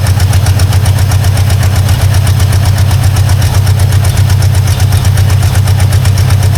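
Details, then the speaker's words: Long-abandoned 1952 Ford Crestline idles lumpy with missing beats; owner suspects a big vacuum leak, possibly the wiper line; rough idle with misfire. "there's a good chance it might be an even bigger vacuum leak than I think so I don't know if it's tied in inside the car or not a little thirsty"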